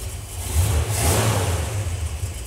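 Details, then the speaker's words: 1964 Dodge 440 with 383 big block and push-button 727 transmission, revived after 20+ years sitting, fresh transmission fitted, ignition box and coil: it catches at once and revs rise and fall smoothly into a clean, steady run; normal start. "okay fired up there we go that's more like it"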